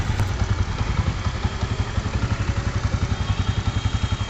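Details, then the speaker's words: Spider YG-H100-A single-cylinder motorcycle after engine removed for head and cylinder repair, bolts checked and refitted: steady low thumping about three to four beats a second, even, no knocks or rattles; smooth normal running. "তো এবার আমরা বাইকটিকে start দিলাম, একদম smooth sound চলে এসছে এবং ফুল accurate ভাবে কাজ করা হয়েছে।"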